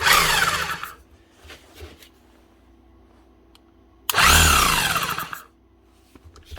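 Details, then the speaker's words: Demolition hammer: motor and gears spin cleanly with soft compression puffing, but no hammer blows; the striker does nothing, before adding grease. "But it's not doing anything down this end."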